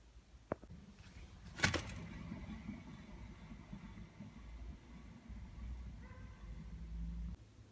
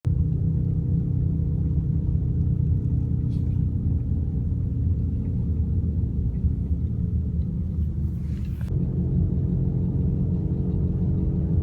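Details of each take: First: BMW E38 hub bearing spun by hand after a couple of handling knocks; it turns almost silently with a faint, even hiss, shown as the healthy bearing beside a faulty one. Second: BMW E38 cabin while driving: steady low droning hum from a worn wheel hub bearing that should be replaced.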